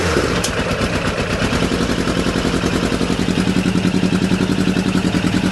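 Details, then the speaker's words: Suzuki Bandit 600 four-cylinder motorcycle, previously firing on three cylinders, started on choke with jump pack after spark check: ragged uneven idle with irregular stumbles; still misfiring, owner suspects fuel starvation, possibly the fuel filter. "That fired up pretty bloody quick. Wasn't expecting that. That threw me off. It's still misfiring though."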